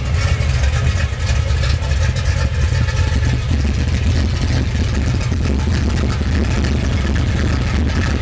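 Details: Red 1982 Chevy petrol engine: loud, uneven low idle with a lumpy, unsteady beat and no clear misfire rhythm. Rough idle, cause not identified.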